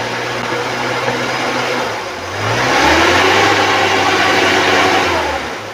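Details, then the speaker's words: 2001 Suzuki Carry Extra 1.0 (Adiputro), oil dark but not mixed with coolant: idle raised smoothly to a held higher rpm and back down, even tone with no knocks or rattles. Engine sounds smooth and healthy. "Kita naikkan RPM, suara mesin masih halus, masih enak, masih oke."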